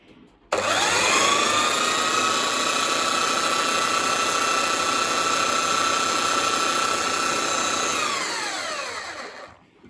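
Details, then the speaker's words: Titan TTB290SDR belt sander after replacing the carbon brushes, new belt fitted: spins up to a steady clean whine with no rasp or crackle, then winds down smoothly, no blue smoke; running healthy. "Sweet, we've got a belt. Doesn't sound bad. Doesn't sound grainy or anything like that."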